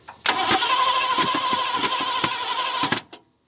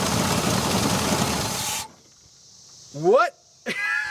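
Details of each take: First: 1970 Ford Mustang V8, abandoned for years: steady starter cranking near three beats per second with occasional sharp pops out of the manifold but no catch; cranks but won't start, plug wires out of firing order. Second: 1970 Ford Mustang V8, abandoned for years, plug wires restored to previous owner's layout, extra fuel added, transmission fittings not yet fixed: engine roars loudly and unevenly under two seconds before shutoff; first run, it fires.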